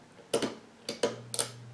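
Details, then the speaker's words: Alaron ceiling fan, with a failed capacitor suspected: after a few switch clicks a steady low hum sets in with no spin-up, so the motor is energised but not turning. Spun by hand on high it runs slowly, and on low it slows almost to a stall. "you hear it humming medium low off well turn it on high and give it a spin manually and it goes not that quick but it goes"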